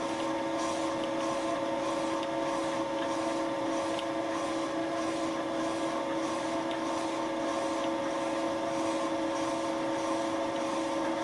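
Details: Boring the molten plastic lawn mower bearing seat with a Wohlhaupter UPA5 on a Thiel Duplex 158 mill at fixed diameter, quill auto feed 0.12 mm/rev, very light cuts: steady spindle hum with two clear tones and a soft pulse about twice a second; smooth cut.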